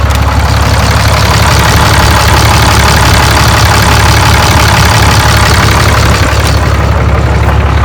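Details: Cummins 6.7 L diesel started after an air and fuel filter change, with the fuel filter primed by cycling the key: loud, even diesel clatter settling into a steady idle with no misses or stumbles, engine running normally.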